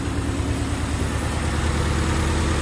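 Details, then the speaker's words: 1988 Honda Civic Wagon, earlier crank-no-start, codes 10 and 14 (intake air temperature sensor, idle air control valve), running after their swapped wires were corrected. Steady, even low rumble with no misses or hunting; smooth, healthy idle, exhaust poor. "so all I did was I swapped the wires let's start it up and see what happens all right she's running pretty good"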